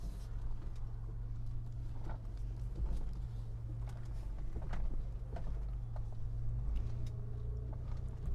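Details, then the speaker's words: 1995 Mitsubishi Montero V43, 3.0 24-valve, lifted, coil-spring suspension, serviced and just inspected, crawling over rough cross-axle ground: an even, low engine hum with faint scattered ticks and no clunks, so the chassis is normal with no rattles. "车我们审好了，1年1审，现在底盘没有任何的异响了，发动机也相当安静。"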